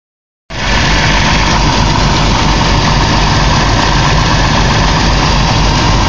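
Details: 2001 Caravan engine at idle: regular knock about four a second over the engine note, from inside the motor; cause unclear.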